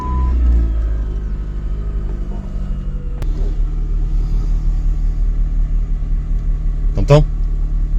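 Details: PT Cruiser Cabriolet with check-engine light on: low idle rumble with uneven, lumpy beat and occasional stumbles; worsening misfire, cause suspected (coils, plugs or injectors), not confirmed.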